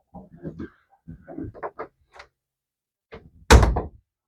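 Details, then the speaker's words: Door hinge after greasing the hinges: door swings back and forth with soft knocks and rustles, no squeak, ending in a firm thud; squeak eliminated. "as you can see already just by adding a little bit of grease to your hinges it eliminates that squeak"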